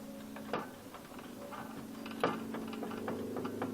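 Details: Hyundai Accent steering rack, steering wheel rocked back and forth with the adjuster nut being tightened: a few sharp, irregular clunks with each rock; a worn, knocking rack, which tightening did not cure.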